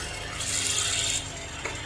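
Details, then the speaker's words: Hatari 16-inch wall-mounted fan running with a loud, steady harsh rasping grind over a low motor hum, caused by a seized, stiff rear motor bushing; before repair. "โอเคครับเสียงพัดลมHatariแขนผนัง16นิ้วเสียงดังมาก"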